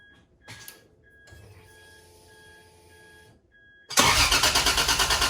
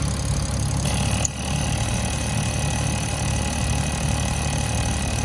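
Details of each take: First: 1986.5 Toyota Supra MK3 converted to 2JZGTE VVTi with R154 manual, DIY cold-start air valve from Aristo parts: no pedal, out of gear, starter catches almost instantly into steady even idle; smooth reliable cold start. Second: 1986.5 Toyota Supra MK3, converted from the factory 7M-GE to an Aristo 2JZ-GTE VVTi with R154 manual, fitted with a DIY IAC valve; engine warm. Smooth idle with a faint thin whistle after the IAC is plugged back in: intake air whistling past the idle air control check valve. The owner suggests the tuner disable the IAC.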